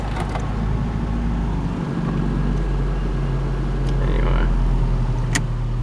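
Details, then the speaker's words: Toyota Paseo after leaking intake hose clamped, A/C just switched off: steady, even idle hum with no stumble, hiss or hunting; engine running healthy. "Yep, she's good now."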